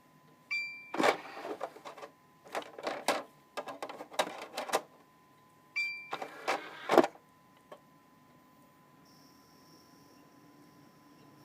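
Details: Xbox 360 Slim DVD drive with an old game disc inserted: slight grinding and bursts of fast clicking as the laser bumps back and forth very fast, a drive struggling to read; cause not confirmed.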